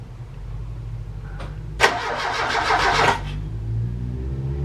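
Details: Ford Capri Calypso stored 14 years: starter spins the engine steadily for about 1.5 s with weakening batteries and no fuel drawn to the filter, but it never catches. No spark found.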